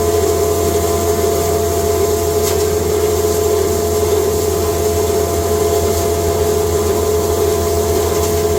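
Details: Cattle-feed grinder, first time grinding hay fed slowly through the hay slide into a bag: steady, even roar and constant hum with no knocks or surging as hay passes through. Normal grinding.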